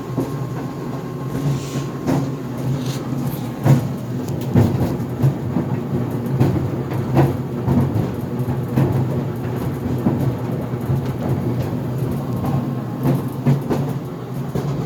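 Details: GE Profile Harmony dryer on the cooldown cycle of an 11-minute sneakers cycle without extended tumble: dull, irregular thumps and knocks through the tumbling as the drum turns; something banging inside, cause not found.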